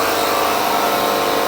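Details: Small 12V compressor wired to the 1969 VW Bug's battery, pushing air through both shock lines in a leak test: steady, even hum and hiss with no labouring; no leak in nylon hose, old air shocks at fault.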